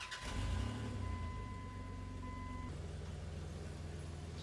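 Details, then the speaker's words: 2003 Dodge Dakota with 3.7 L Magnum V6 at about 174,773 miles. It cranks, catches and flares, then settles into a raspy, louder-than-stock idle because a previous owner drilled holes in the muffler. "Now, one of the reasons that this runs so loud is because the previous owner drilled holes in the muffler to get it to sound louder."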